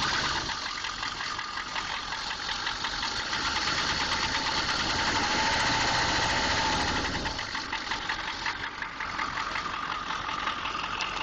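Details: 6.2 engine at idle with a regular, even knock about three per second tapping throughout; engine knock, source unknown.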